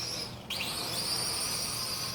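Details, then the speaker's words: MJ 103 quadcopter (X5C clone) on high rates; thin high motor whine jumping with throttle, with a squeaky chirping edge from ungreased motor bearings. "You can hear those bearings chirping cuz I still haven't greased them."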